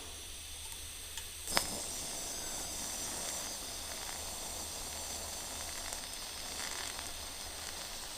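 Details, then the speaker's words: Arc hiss with uneven crackly sizzle and an early sharp pop while TIG welding a broken part under argon shielding, weld still warm after filling in solid; sound indicates slight porosity, visible in the bead. "that noise that's just a little bit of porosity in there and I could see it in the weld a little bit"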